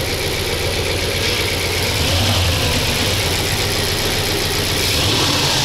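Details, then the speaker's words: Audi S6 C5 2002, 4.2 V8 ANK with automatic, with new tensioner: steady smooth idle with low hum and only faint light chatter, running quieter than before; healthy. "І скажу я вам, що на цьому натяжнику зовсім інша робота двигуна. Він тихіше працює."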